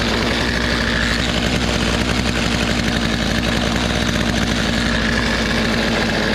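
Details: Poulan 2450 chainsaw with 18-inch bar, back together after chain, bar and handle work, sat two weeks; after hardware installed it runs with a steady, even two-stroke buzz, no stumbling or surging, holding speed; brought back to life.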